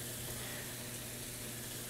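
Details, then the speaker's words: Frigidaire Gallery top-load washing machine in service test mode, cold supply turned off: steady hiss and rush of water with faint hum underneath as hot water enters the tub; hot inlet filling normally. "we have a little some vibration so it does appears if we have some hot water entering"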